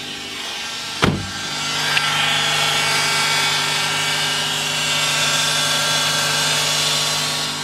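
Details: 2008 Nissan Versa CVT with codes P0746 (solenoid A) and P0868 (low fluid pressure), before the pan was cleaned, the filter serviced and NS2 fluid refilled: a steady high-pitched whine over the running car. The CVT whines from low fluid pressure.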